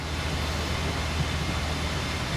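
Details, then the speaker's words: Flood-damaged Kia Ceed GT-Line 1.5 petrol turbo, just started after repair: low quiet even idle hum, no ticking, knocking or uneven beats; normal idle. "running really well actually sounds good oh she sounds really quiet"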